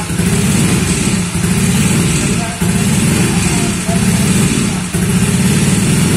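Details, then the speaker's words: Honda Vario 125 bored up to 140cc with FIM piston: loud uneven running, beat surging and dipping about once a second; torn down still hot, a part found wobbling loose, rough running from loose internal part. "Nah teman-teman setelah kita mengetahui suaranya mendengarkan dan mengetahui hidupnya tadi hidupnya agak kasar ya pertama ini langsung kita bongkar ini masih panas banget ini kita cek dulu yang jelas ini dia goyang ini tuh goyang panas nih goyang ya ini kendor"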